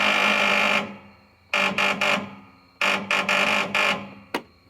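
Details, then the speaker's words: Husqvarna LTH 18538 lawn tractor with valve cover leak, reported hard starting: turning key gives bursts of harsh rapid buzzing chatter from the starter solenoid, no cranking; owner says solenoid shouldn't make that noise, cause not confirmed. "so um generally sonoid is not supposed to make that noise now I've worked on a fair bit of fair number of lawnmowers here in the last couple years throughout all these trials and tribulations and um I have never heard a lawn mow solenoid make that noise"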